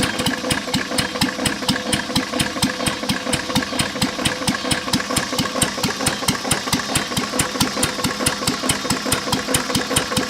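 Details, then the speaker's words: 1920s–1930s English Lister throttle-fed stationary engine at low idle: steady knock about twice a second from a rod bearing damaged by water in the oil from a cracked block, awaiting a new rod bearing. "I mean besides the rod knock and in need a paint it actually is a good running motor"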